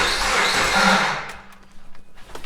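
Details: Subaru Forester EJ25 with a hole, relative compression check while cranking, firing order 1-3-2-4: starter cranks about a second with an uneven beat, one stroke lighter each turn, indicating a low-compression cylinder.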